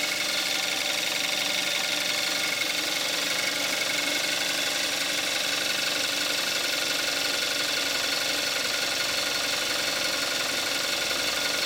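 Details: 2014 Kia Forte5 2.0 GDI, 41,000 miles, synthetic Amsoil 5W-30, more warmed up after a cold start, recorded on the camcorder's built-in mic: steady, even idle with light, fast injector ticking; healthy.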